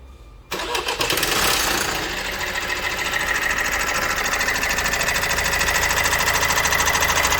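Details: Opel Astra J 1.6 diesel 136 hp, timing chain previously changed: fires up and settles into a fast, even clatter over the idle, chain rattling like a worn timing chain.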